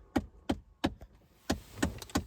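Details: 2009-14 Ford F-150: sharp, hollow knocking about three times a second from behind the radio in the dash; the failing heater blend door actuator is being replaced.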